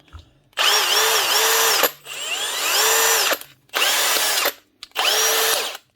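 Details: Milwaukee cordless hammer drill from 2020, customer says it keeps running then eventually stops: four short bursts of clean whine rising and falling with the trigger, no grinding or slipping; gearbox healthy.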